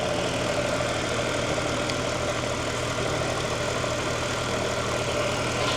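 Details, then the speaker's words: Mercedes C63 AMG 507 edition, started to warm the oil for an oil change: steady even V8 idle, no knocks, misses or ticks over the exhaust; lifters noted loud on cold start, serpentine belt ripped, needs replacing; normal idle. "all right so now we're going to start it up to get the oil warm so we can drain it let's see this thing running pretty"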